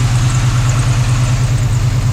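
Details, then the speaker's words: 1980s Chevy C10 truck revived after 20+ years sitting, none of the gauges working, warming up with heat reaching the upper radiator hose: steady, even low rumble with no knocks or ticks; normal warm-up idle. "Going to let it idle. We're starting to get some temperature in this upper hose."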